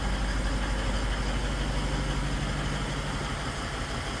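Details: Toyota Land Cruiser 200 diesel at idle: steady, fairly regular tapping about three beats a second under the clatter, louder at certain spots in the engine bay; extra noise, source not pinned down.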